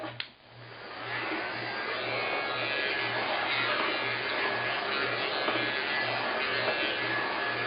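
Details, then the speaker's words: Weller heat gun after a temporary home fix for a recurring funny noise. Steady airy blower rush with only a faint low pulsing hum underneath and no rattle; some faint vibration remains but is much less than before. Normal running. "i can still hear some faint vibration in there but nothing like it was before so there you go if your heat gun's making a funny noise it's not always a scary electrical issue"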